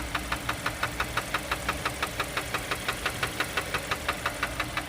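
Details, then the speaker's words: 2020 Hyundai Kona, 70,000 miles, oil burner: sharp even metallic knocks about three a second at idle from a rod bearing knock; towed rather than driven. "oh it's knocking it's knocking are you knocking but you can't come in wait the Rod's trying to come out"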